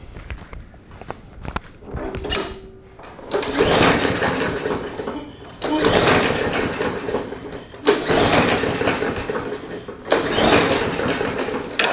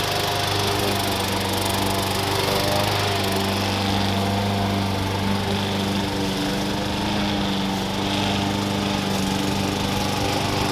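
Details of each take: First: Mower that sat for several years, pull-started after carb cleaner was sprayed, which probably went into a bolt hole rather than the carb: four cord pulls, the engine turns over but never catches. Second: Rehabbed push lawn mower that sat for years, new blade, blade support and air cleaner fitted, cutting grass: even steady high-pitched drone holding speed with no misses or knocks. Normal running under load.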